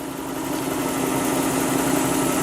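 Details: Lexus LS400 idling on jack stands while warm after power steering pump replacement and flush: smooth, even idle, soft steady hum, no pump whine or groan; power steering now quiet.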